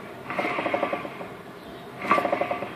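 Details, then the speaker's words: 1998 Yamaha Grizzly 600 primary sheave/clutch pulley turned by hand with the engine off: a quick run of light metallic clicks that fades as it slows; owner suspects the bearings behind it or something deeper in the case. "the know it sounds like it's when I spend when I spend this sound like I can hear the noise you know back in this direction somewhere"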